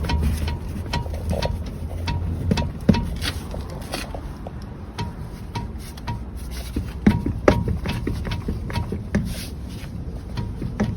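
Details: Irregular dull knocks and sharp clacks, two to three a second, under low road rumble while driving: knocking noise in McPherson strut front suspension.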